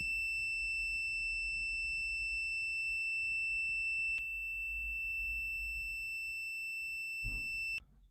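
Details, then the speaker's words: Multimeter continuity check with leads tapped together before testing an electric dryer's thermostat sensors for a no-heat fault: steady high-pitched beep holds unbroken for several seconds then stops, showing a closed circuit with no break. "If it has the setting or that function, you'll hear a beeping and that means that there's no break."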